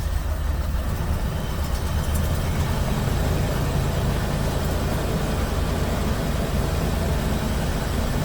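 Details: 1988 Mercury Cougar Foxbody V8, after earlier ignition repair and gas tank cleaning, running on its own fuel system for the first time: a steady, even low rumble with no misses or knocks; sounds healthy.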